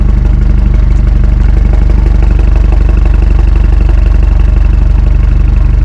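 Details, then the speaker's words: 2018 BMW 430i Gran Coupe (F36), B48 four-cylinder, modified, engine warm (not a cold start): deep, loud exhaust drone with a regular, even pulse and no rattles or misfires; healthy running with a sporty exhaust. "Yeah man so right now that's what it sounds like um she sounds good man she sounds really really really good especially for a four banger"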